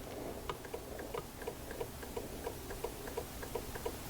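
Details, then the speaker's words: Honda Odyssey with power windows not working because the relay was not energized, control wire back-probed and grounded with a Power Probe: crisp single relay clicks about every two-thirds of a second; the relay is working. "so when I do this I hear the relay click listen do you hear that"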